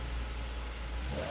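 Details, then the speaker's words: 2007 Volvo XC70 after a P0303 cylinder 3 misfire stumble that appeared when warm: on restart it idles and picks up smoothly with a clean, even note and no stumble or skipped beats. Owner thinks it is fixed. "There we go. I'll have to leave for a couple hours though. No stumble. I think I fixed"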